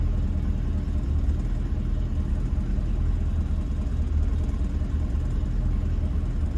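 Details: 1966 Ford Mustang convertible after a choke/high-idle fix, restarted with three pedal pumps. A low, even rumble held steady in gear with no stumble, hunting or surging; the idle is smooth and much improved.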